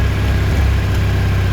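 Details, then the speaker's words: Kawasaki GPX 600R revived after sitting, just after a carb overhaul, warming up: an uneven, lumpy idle with pops and surging. It isn't firing consistently on all four cylinders and at times runs on only one or two; an earlier slight knock faded. "you can hear it farting and popping a bit definitely not consistent on all four we have a bit of surging"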